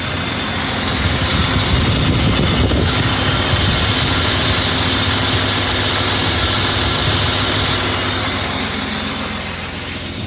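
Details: BMW E34 with M50 six-cylinder, warm idle after oil change to Castrol 5W-40, air above freezing: smooth even idle with no ticking; hydraulic lifters quiet, still to be checked on a cold morning start.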